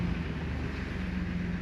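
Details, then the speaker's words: Jeep Wrangler TJ after a complete front axle rebuild, rolling in neutral through an echoing underground parking lot: low, steady rolling rumble with no clicks, grinding or whine; rides very nicely. "no noises like I know that it doesn't pick up everything but you got to take my word for it she is riding oh so nice today"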